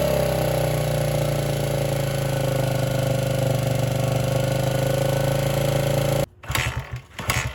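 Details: 1978 Honda XR75 single, first run since about 1989 after restoration; small single buzzes unevenly at fast idle, then cuts out; would not idle or drive well, low on power; timing and compression checked.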